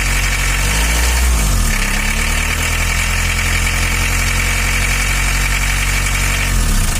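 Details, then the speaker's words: Isuzu Panther diesel (2.5/2.3), valve cover on, timing cover off, warming up: loud rough idle with heavy clattering knock because injection timing has jumped; fix is resetting the injection pump to standard. "Kondisinya masih sama, yaitu terjadi lompatan waktu. Mari kita lihat seperti apa bunyinya."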